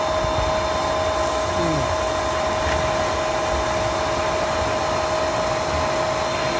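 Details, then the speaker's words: Pentair SuperFlo VS variable-speed pool pump just started: it primes on high speed with a steady hum and water rushing through the pipes, lasting a few minutes up to 5 before slowing down. This is normal. "Okay, and so while this is priming up, it will get a bit noisy and you'll hear some water flowing through the pipes. That's absolutely normal."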